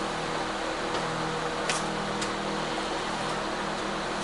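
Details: Convection microwave oven running with its fans: steady, even whoosh over a low hum, no rubbing, clicking or grinding; normal running.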